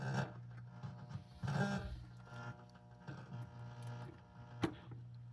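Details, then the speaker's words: Bally KISS pinball machine after resoldering suspect sound board connections: steady low hum with swelling waves of hiss under the speaker output, improved but persisting; background noise from sound board, source not found. "yeah well that definitely sounds better but there's still some background noise I don't think"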